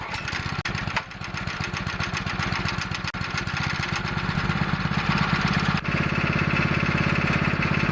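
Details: Pressure washer's small single-cylinder engine, run after removing the Comet LWD-K 3020 pump, fires evenly at steady speed with no misses or knocks; engine runs very well, normal running.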